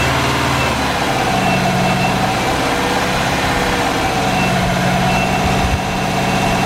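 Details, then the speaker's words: Subaru with newly built engine, first start after oil pressure confirmed, cam break-in: steady idle whose beat wavers slightly; unstable idle, owner suspects injector scaling needing a tuning tweak. "it did have a problem idling which i think is just the injector scaling so i could probably figure out how to tweak that just a little bit and get that sorted"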